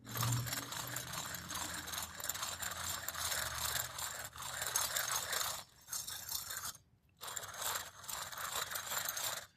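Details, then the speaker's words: Removed wheel hub bearing from a 2006 Pontiac G6 that hummed loudly when driving, turned by hand: gritty rough crunch and rattly scraping on every spin; failed bearing, replaced with salvage-yard unit. "That's a bad wheel hub bearing."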